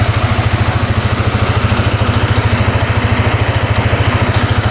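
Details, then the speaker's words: 2010 Polaris Sportsman 550 EFI ATV after cutting off a line: quick, even idle putter, revs out and returns to idle cleanly with no stumbles or smoke; now running and idling normally. "See if it revs out here. Come right back down to idle. Huh? Well, I think we fixed it. We're let this idle for a bit, but yeah, sounds pretty good."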